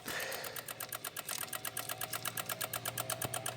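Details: 2016 Honda HR-V, no crank no start, brake on: fast even clicking buzz about eight ticks a second, engine not running; relays chattering, owner suspects engine harness since pushing it settles them, cause unconfirmed.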